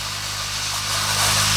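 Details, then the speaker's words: New inverter refrigeration compressor on an inverter tester at maximum speed, discharge tube blocked by hand; steady hum with loud rising hiss, pressure too strong to hold and leaking past: good compression. "É um compressor novo, portanto eu sei que ele tá com compressão."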